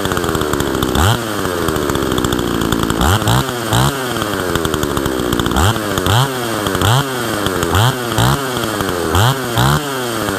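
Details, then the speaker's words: Husqvarna 162 SE chainsaw revived after sitting for years, with a tampered muffler: crisp two-stroke blips from idle to full revs about every second, picking up cleanly and settling back; runs healthy. "This is a pretty decent running saw. It runs really nicely."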